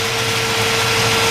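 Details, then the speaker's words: 1957 Chevrolet 210 with 454 big block, headers, MSD ignition, Edelbrock carburetor and aluminum radiator, just started: steady airy whir of the electric radiator fan over the constant engine hum, spinning evenly; normal electric radiator fan running. "let's give it a little startup here yep sounds good you hear the electric fan running like radiator setup there is the old fan"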